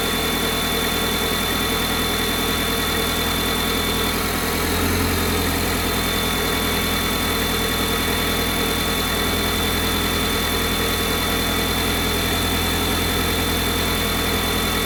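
A steady cold idle with a hissy, buzzy overlay and a faint low drone; something is making an odd noise, cause unclear.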